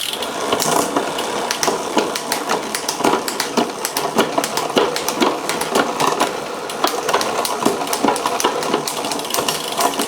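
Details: Wilier GTR GranTurismo road bike with Campagnolo drivetrain after full strip-down service and cable tension adjustment: crisp distinct clicks as chain steps across the cassette, no grinding; normal gear shifting.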